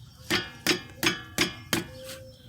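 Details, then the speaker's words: Front brake caliper knocks with sharp metallic clacks, about three a second, over bumps. Worn slide pins with a missing boot let the caliper rock. New shocks, tie rod ends and sway bar links had not cured it. "the noise was actually the old pins were no good and the brakes calibers would rock back and forth and rattle on the bumps that noise that you hear was magnified at least 20 times so any bump you would to hear that"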